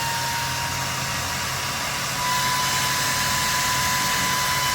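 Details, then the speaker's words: 2015 Harley-Davidson Ultra Limited with newly installed CoolFlow fan: steady strong rush of air with a faint constant tone, rising a notch midway; fan working normally, moving plenty of air. "she's really moving some air here."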